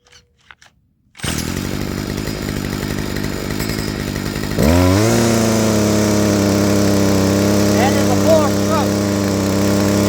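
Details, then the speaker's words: Stihl FS55R two-stroke trimmer after HIPA carburetor swap, high-speed screw leaned then turned back out: at no-load wide-open throttle it runs with a slightly rough, burbling four-stroke edge, the correct high-speed mixture. "I'm going to turn it back out just until it wide open throttle with no load on it. Just like this. I want a little bit of a four stroke."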